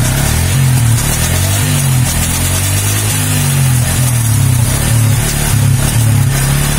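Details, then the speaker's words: Yamaha Vixion ride test after tightening the rear swingarm to cure clunking/ticking when shifting; engine pulls smoothly through revs and gear changes, steady exhaust note, no rear clunks; fixed. "sudah aman ya guys ya jadi sudah tidak bunyi cetek-cek kembali ini kita cek nah ini sudah kencang ya"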